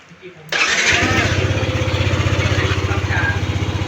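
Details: Yamaha Nmax scooter after repair of a seized, cracked camshaft bearing that caused a dry rattle: starts on the button and settles into a steady, even idle around four beats a second, quiet with no dry top-end rattle.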